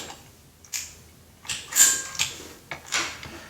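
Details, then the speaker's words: Ironhead Harley transmission on the bench, shifted by hand with dogs lined up: crisp separate clicks and clacks into third and fourth, no grinding; normal clean gear engagement. "let's go to third the line the dogs up beautiful pops right in let's line the dogs up go to fourth Oh beautiful doesn't get much better than that"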